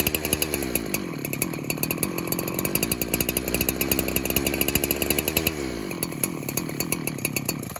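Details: Pulse Warmer 372 clone chainsaw that leans out as it warms: runs at steady high speed but revs waver and sag when the clutch side is sprayed, pointing to a leaking clutch-side crank seal.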